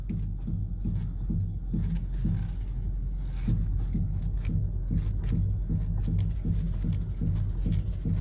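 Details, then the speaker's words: 2014 Dodge Grand Caravan, idling or driving: loud repeated dull knocks, about two to three a second, whenever the steering wheel is turned left; strut mounts suspected, not confirmed. "every time I turn the steering wheel to the left it makes like knock-knock-knock and I will try to demonstrate it and I hope you'll be able to hear it on this video it's very loud"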